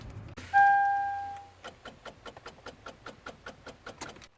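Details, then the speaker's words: Toyota 4Runner (2003–2009) on a cold snowy day, key turned to start: brief dash chime then rapid clicking about five a second with no cranking and dash lights blinking; weak battery suspected, alternator possible. "So you hear that clicking? You can also see the lights are kind of indicating that they're blinking back on and off. It looks like, again, a battery problem, potentially an alternator problem."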